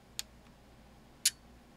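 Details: Elecraft K2 ham transceiver kit at first power-up mid-build, RF board not yet populated: two crisp single band-relay clicks about a second apart in a quiet room, returning to 40 m; relays switching cleanly and normally.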